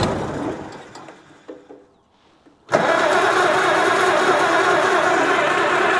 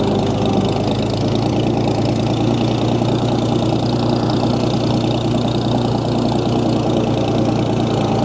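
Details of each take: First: 1937 Oliver Hart Parr 70 tractor started in neutral with choke and throttle, oil pressure showing. It sputters and dies, then catches to an even loping idle. Fuel is dripping from the carb and spark is present; owner suspects it is just cold-blooded. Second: 1937 Oliver Hart Parr 70 tractor running after a cold-blooded start, with the choke being adjusted: steady, even low-pitched run with no knocks or excessive transmission or timing-gear noise. PTO turns; belt pulley is missing its drive sleeve. Runs smooth.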